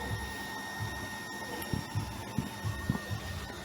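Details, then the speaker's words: Small shallow-well water pump with an added pressure tank to stop on-off cycling, still running after the tap is closed to refill tank pressure. Steady motor hum, light whine, soft irregular thumps, running continuously: normal pump run. "dia masih bunyi punya dia masih mengisi tekanan yang ditabung simpanan itu dibuka mengalir dan langsung keluar-keluar keran"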